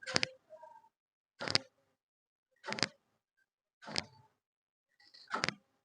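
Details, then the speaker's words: Maruti Suzuki Ritz diesel, alternator pulley spun by hand: five short dry creaks, one per spin; the idler bearing was fine, so the noise comes from the alternator, most likely its pulley. Alternator bearing noise. "അപ്പൊ എന്തായാലും നമുക്ക് ആൾട്ടറേറ്ററിന്റെ ഭാഗത്തുനിന്നാണ് ആ sound വരുന്നത്"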